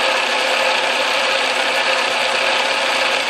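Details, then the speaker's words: Atlas Craftsman lathe after shimming the tumbler gear to cure gear lash, feed engaged under load: steady, even gear whir with only light, faint chatter and no heavy racket or knocking; the gear train runs quietly after the repair. "I think it's quite a bit quieter if you listen to this uh lathe in other videos it was making quite a strong racket I don't hear any substantial sound I hear a little bit of rattling here but it's all so faint that it doesn't really seem to matter"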